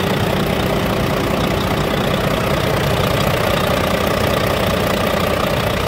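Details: Volvo D13 dump truck engine, hard starting after 5-10 minute shutdowns, after replacing faulty one-way valve, pressure return valve and both fuel filters: steady even idle clatter at constant speed, no misses or stumbles, healthy.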